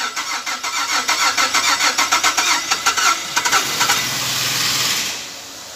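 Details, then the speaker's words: 2007 Chevrolet Caprice 6-cylinder, after fixing a cylinder 6 misfire (P0300/P0306) caused by the spark plug and cleaning the injector: cranks about three seconds, catches cleanly and settles into a smooth, even idle. "so guys engine is now ok"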